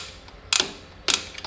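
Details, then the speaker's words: 2005 Toyota Tacoma 4WD rear drum brake adjuster star wheel turned while fitting new shoes: two crisp metallic clicks about half a second apart with short ratchet chatter, turning one way only to expand the shoes and cut drum play. "I can keep turning this wheel. You hear it, it goes only one way, that's the expansion. I will be not able to turn it the other way."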